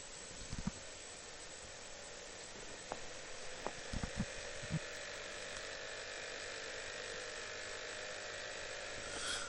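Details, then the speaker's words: Escient E-40 digital music manager: disc taken in and read, faint steady whir of the spinning disc with a few scattered clicks, then nothing further; the drive spins but never proceeds. Owner suspects a failed hard drive, not confirmed. "so okay it's reading the disc but I don't hear anything more than that"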